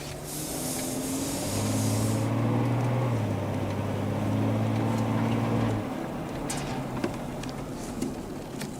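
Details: 2007 Chevy Trailblazer with ABS codes C0035 and C0244, formerly hesitating from a stop as if the throttle were disconnected, after one wheel bearing was fixed: engine holds a clean, steady drone pulling evenly under throttle over road noise, no stumble; normal acceleration.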